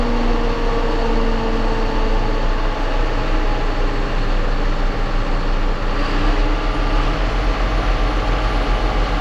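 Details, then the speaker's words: John Deere 7830 tractor diesel after replacing a seized VGT turbo actuator that caused derating: steady even drone, cooling fan roar shuts off partway, no misses or surging; judged fixed. "so all right i think we can safely probably say we got that fixed"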